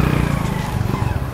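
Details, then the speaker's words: Motorcycle riding home just after change oil and tune-up; running and engine sound now clean and quiet. Even engine drone with some road rush, no knocks or rattles; bike pulls smoothly, normal running. "Ayan guys. Okay na naman yung ano niya, takbo niya. Saka yung mandar niya."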